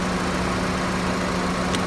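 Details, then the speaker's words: Honda with AC compressor not engaging despite 70 psi on high and low side; after refitting the AC clutch relay (tight-tolerance relay issue), steady idle hum then a crisp click as the compressor clutch engages normally. "There we go. There we go. Did you hear the click over there? So that's a tight fit and relay that has some manufacturing process tolerance issues where it's a couple thousandths thicker."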